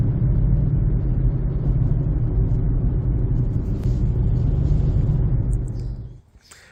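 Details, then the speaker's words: 2007 Honda CR-V Gen3 while driving: heavy low rumble pulsing about four times a second from a front tire, a 6-year-old Black Lion with cupping and flat spots; noise moved front after rotation, gone after new Bridgestone Ecopia tires. "I definitely know the tire the sound is coming from this one so it's really uh loud noise"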